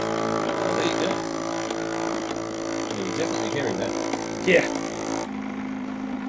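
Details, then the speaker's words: Stepper motor turning an unloaded rotator. Steady buzzing whine with stacked tones, then a lower hum; the noise is suspected to drop once loaded. "i think a lot of that that resonance and that noise would probably be reduced once it's got a bit of load"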